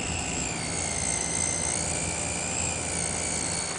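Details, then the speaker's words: Zalman ZM-1000HP power supply running ATI Tool at about 2,000 fps with Vsync off: a thin, high, wavering squeal over the fan hiss that stops when the load ends; likely a noisy capacitor or inductor, not confirmed. "as I'm sure you can hear right now there is a loud annoying noise that goes along with this picture here coming directly from the power"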